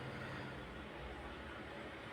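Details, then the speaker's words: Gas geyser after its water sensor was changed and it was converted from battery cells to a power supply: with gas and water on, it ignites and burns with a steady soft even roar, no popping or flutter, display showing 30 degrees; normal running. "ಇವಾಗ ನೋಡಿ gas on ಆಗುತ್ತೆ ನೋಡಿ. On ಆಯಿತು."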